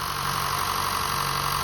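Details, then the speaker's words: 2015 Honda Fit at 87,733 miles, cold start in the engine bay just after its 90k service (VTC spring, valve adjustment, walnut-blasted intake valves, new drive belt): smooth, even cold idle with no ticks or stumbles, smoother than before the work. Normal. "And it's cold too. Usually when it's cold, it's not that smooth as when it's warmed up. But it sounds really smooth."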